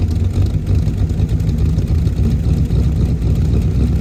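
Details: 1977 Holden HX Statesman Deville, 308 V8 with Turbo 400, sat about 20 years, started on fuel poured into the carburetor: a deep, steady V8 idle with an even low beat and no knocks or misses.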